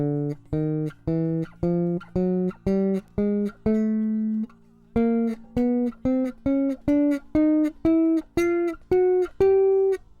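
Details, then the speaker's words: MTD 535-24 bass with Bartolini electronics, after neck relief setup and raising saddles with an Allen key; plucked notes up the neck ring clean and sustain evenly with no fret buzz. "So just take the small Allen key and raise the strings from the saddles until there's no fret buzz at all."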